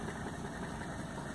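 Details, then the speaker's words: 1985 Mercedes 300TDT S123 diesel with 500,000 km, first start after sitting outside a year: even, steady diesel clatter at idle with no misses or knocks; runs smoothly. "was the first time that's been started in that entire year"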